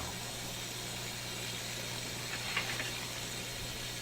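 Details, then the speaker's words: Electrohome Kalmar console stereo receiver with a dead FM section: a steady loud hiss with no station, caused by an external antenna clip lead wiggling on the untightened antenna terminal screw. "I connected my external antenna clip lead onto the screw head of the screw that you put the antenna to. I didn't tighten the screw up, of course, I just put it on. And as I'm sitting here working these things, it's just wiggling the antenna screw."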